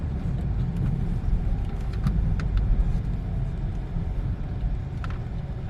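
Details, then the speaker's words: 2012 Peugeot 308 1.6 on test drive after many front suspension parts were replaced: steady low road rumble with no knocks or clunks, whereas a knock and rubbing noise previously came from the right side. "Ama şu an gram ses yok Normalde sağ tarafta blok ses vardı"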